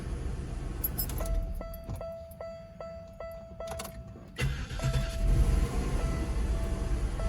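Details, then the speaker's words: 1998 Oldsmobile Aurora V8, sat for years, restarted after the intake manifold flap fix (not the MAP sensor): a chime pulses, then it cranks, catches quickly and settles into an even idle with no flare of revs; normal start and idle. "So that was the problem. So that was the problem. So it wasn't the MAP sensor. It was that little flap inside of the intake manifold."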